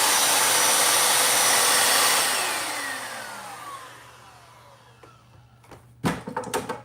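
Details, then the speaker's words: Royal shampooer vacuum, brush roll tested after fitting the belt: loud, even high whirring from the motor and brush, then a smooth spin-down with no catching; the brush roll spins normally. "Okay, so it works."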